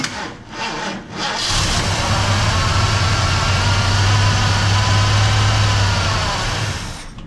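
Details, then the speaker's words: Mercury XR7 wrecked and parked in a shed for 20 years, first start: catches after a brief crank and settles into a steady, even run with no knocks or misses; sounds healthy. "how about you guys but I think that sounds pretty dang good perty dang good and it started after I turned the key on"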